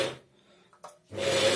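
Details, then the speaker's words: Chaika 132 sewing machine electric drive, power cord bent at the fault spot: motor hum starts, drops out about a second, returns strongly; broken wire in the power cord. "то есть вот здесь перелом одного из проводов"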